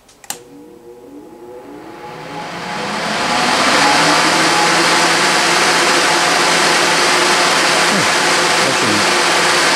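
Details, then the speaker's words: New FASCO Type 21B 712113156 pellet stove combustion blower, 2-pole shaded-pole motor with ball bearings, bench test drawing about one amp: spins up over about four seconds to a loud, steady air rush, no bearing noise; normal blower operation. "so I'm going to shut it off but all right that works fine it's the airflow noise is much louder than the one I have in the stove now but this is much quieter in terms of the bearings"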